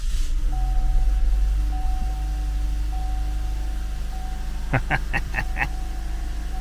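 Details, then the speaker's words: 2014 Cadillac CTS 2.0T at steady low idle after new timing set and head gasket, even hum with faint whine, no knocks or misses; some smoke expected from burning off exhaust coolant; runs smoothly. "we need to let this thing run it sounds good"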